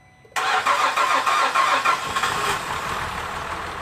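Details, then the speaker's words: 2006 Cadillac CTS 3.6L VVT V6, first start after replacing the timing chains, guides and gears, a head removal and valve job, pre-oiled beforehand: a short crank catches quickly into a steady idle with no chain rattle and no smoke as the VVT picks up; normal start. "it idle? See any smoke? Negative. There goes some VVT picked up."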